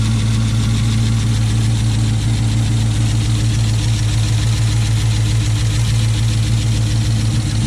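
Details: 2006 Chrysler 300 SRT8 V8 first start after aftermarket camshaft install, untuned; smooth even idle with steady low rumble, no ticks or knocks, relatively quiet, lifters still pumping up; normal idle.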